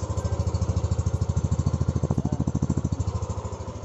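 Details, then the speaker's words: 2020 Yamaha NMAX scooter idling after fitting a Faito Sniper 150 Fi ignition coil, exhaust pipe clearly heard; even quick putter with steady low thump, no misses or ticks, normal idle. "Normal lang minor. Walang problema. Ayan. Dinig na dinig nyo yung pipe ng ating NMAX."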